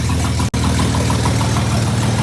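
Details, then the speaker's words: Replacement engine for SLK320 with 231,000 miles, running without jump box after several restarts: steady, even idle with smooth low hum, no misses or shaking; earlier smoke gone, owner doesn't think motor is blown. "No shaky shake? Not bad at all."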